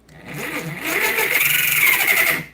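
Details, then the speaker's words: Axial Bomber RC crawler after motor upgrade, gear mesh check: harsh, gritty high-pitched whine rising as the motor spins up and fading as it stops; pinion meshed too tight on the spur, to be adjusted by loosening the mount. "sounds atrocious. So we're going to go ahead and just leave it on, and we're going to adjust that gear mesh until we find a sound that's pleasing to the ear holes."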